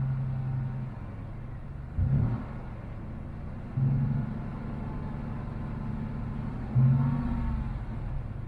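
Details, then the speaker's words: GMC Typhoon, first start after sitting over 10 years, still cold; a low, steady idle with brief throttle blips that settle straight back, still blowing a little smoke that may be residue burning off, normal idle. "That's pretty smooth. It's still blowing a little bit of smoke, but it could be still burning off all that crap that was in there."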